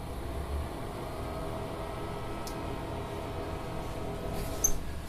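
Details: Vacuubrand PC 3001 Vario laboratory vacuum pump in a quiet lab: very quiet, even low hum with no knocks, rattles or surging. Normal running.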